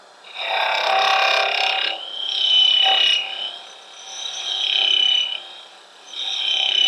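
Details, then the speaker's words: Woodturning hex tool hollowing a mushroom bell form, extended more than about 1 to 1.25 inches past the tool rest. A harsh rattling buzz swells and fades with each pass: tool chatter from too much overhang. "if we get out more than about an inch inch and a quarter off of the tool res what we have is a very efficient chatter tool"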